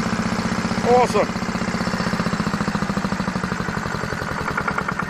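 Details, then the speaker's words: Farymann A40 diesel on a test bench at first start-up after overhaul: steady, even chugging at constant rate with no misses, knocks or rattles, no smoke; healthy smooth idle. "listen to that baby run eh isn't that sweet the thing of beauty just like all good Fairman should be idles nicely no smoke it's a wonder"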